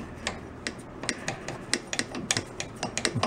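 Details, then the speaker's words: Rear brake drum of a rat rod quad, wheel turned by hand: uneven light ticks and clicks, something loose or rubbing inside; owner suspects it may have no brake shoes inside. Rear-only brakes struggled to stop it when loaded. "no sounds like a mechanical something inside the wheel"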